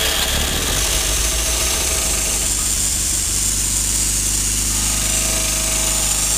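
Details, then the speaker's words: 1952 Fordson E83W pickup with a 100E four-cylinder, first start in 27 years after being freed from seizure (two stuck pistons and valves): it catches with choke and runs at a steady idle with busy mechanical clatter. "Lives again. What is it, about 20 years? More than that."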